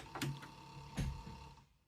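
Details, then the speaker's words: Panasonic Cobra RX-ED77 boombox cassette doors: faint steady motor hum with a couple of soft clunks but doors do not close; owner suspects perished closing-mechanism belts; doors close manually. "can you hear the motor going so the motor doesn't close the cassette deck I assume it should close them otherwise you wouldn't hear the motor sound"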